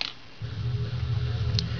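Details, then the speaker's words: Audi UrS4 OBD I output test with diagnostic connectors jumped: idle air control valve cycles until throttle is pressed; silence, then steady low buzz with fine rapid pulsing; normal idle control valve actuation. "there you go is the it was the idle air control out it will keep on cycling until you hit the throttle"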